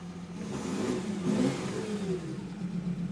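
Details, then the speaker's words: 2014 Audi Q7 diesel with check engine light, code P0263 cylinder contribution, misfire and limp mode: brief rev sounds flat, rough, never reaching full speed, with hiss; suspected exhaust leak. Rough, weak rev. "It sounds like there's an exhaust leak somewhere there"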